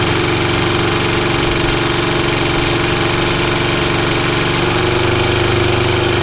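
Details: Restored Atco B17 Commodore petrol lawnmower on choke, blades not engaged, after cleaned air filter, new filter, new fuel tap and hose: steady, even chugging at constant speed with no misses or knocking. Normal running.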